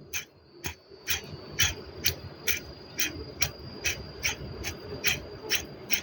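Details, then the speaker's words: Proton Saga BLM water pump removed after 4 years of use, spun by hand: dry, gritty rasps about twice a second indicating a noisy, rough bearing, though no leaking and the impeller is still good. "ha water water water pump ni dia dah berbunyi tapi dia tak ada bocor ni eh patutnya dia ada bocor kat sini tapi dia tak ada bocor eh dah 4 tahun pakai"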